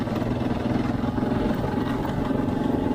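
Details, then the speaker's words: Road noise from MotoZ Tractionator Adventure knobby motorcycle tires after over 9,000 miles, heard at cruising speed on pavement. A steady, coarse droning hum that has not gotten any quieter. "that sound the tires they're noisy that that would mine not a review they didn't haven't gotten any quieter that's for sure"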